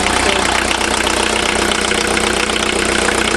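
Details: VW diesel after cylinder head replacement and tightening of loose injectors: steady, even diesel clatter at idle with a regular beat and no misses or knocks; idling cleanly.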